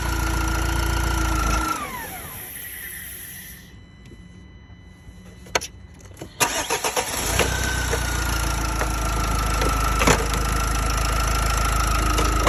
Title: M9R weird noise / M9R garip motor sesi